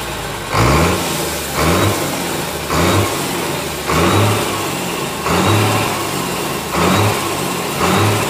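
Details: Komatsu S6D125 six-cylinder diesel on test stand after general overhaul (crankshaft, liners, pistons, bearings, turbo, FIP, nozzles): strong, even run swelling and easing about once a second, no knocks or misses; normal running.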